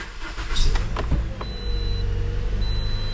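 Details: 2008 Pontiac Vibe after replacing the evaporative canister, which had caused poor starting: a short crank, then it catches cleanly and settles into a steady, even idle with no stumble and no check engine light.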